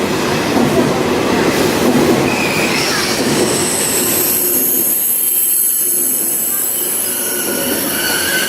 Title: KTX Brake Noise